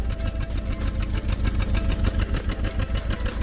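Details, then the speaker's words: Four-cylinder car running on three cylinders, one dead from no spark, low power and heavy shaking, heard at exhaust: uneven lumpy idle with a regular stumble about three times a second; dead cylinder misfire. "that's been only three cylinder working on my car the power is lower and car shaking a lot and it's not easy to derive it and also you can hear it from exos that the core the engine doesn't work properly"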